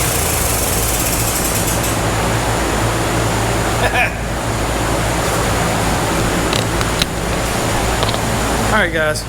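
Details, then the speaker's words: 1991 Honda Z50R mini bike stored in a shed, first run: small single buzzes unevenly with surging revs that won't settle to a clean idle; owner says the carb definitely needs cleaning. "and there you go it runs it runs the carb definitely needs clean"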